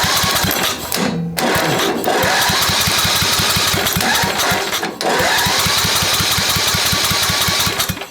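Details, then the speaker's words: Old Craftsman 10hp Tecumseh riding mower, water-damaged engine after head install, compression test while cranking: fast even beats about three and a half a second, no misses; about 75 psi, decent though valving suspected off and compression release not working. "well we get 75 pounds that's not bad right especially considering that we need some kind of uh ACR working on here"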